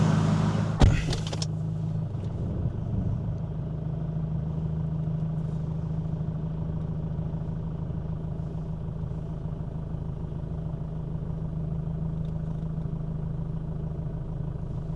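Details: 2005 Jeep Liberty CRD, 2.8L VM Motori turbo diesel, first start after a thermostat replacement: a short crank, then an even, steady diesel idle with a smooth low rumble and no knocks.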